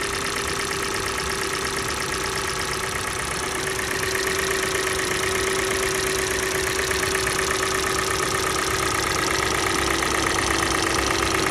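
Cold idle with a steady, fairly even tapping riding over the engine about three times a second; a knock, source not yet pinned down.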